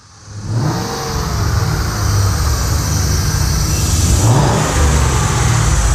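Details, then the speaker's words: Lincoln Mark VIII V8 converted to manual transmission, just running after the swap with fresh clutch: rough uneven clatter over the engine as revs climb and hold; owner suspects the flexplate or spacer plate, not confirmed. "oh it's the hold on it's the flexplate I don't know why I don't know what changed it sounds like the flexplate no not of the spacer plate sounds like the spacer plate"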